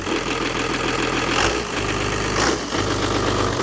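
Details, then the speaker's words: Newly bought Dodge Cummins six-cylinder diesel pickup, just started after all six injectors sprayed: even, steady idle clatter with no missing beats or heavy knocks; sounds good, though the tach and charging appear not to work. "yes sounds like a cumins sounds good sounds like a cumins"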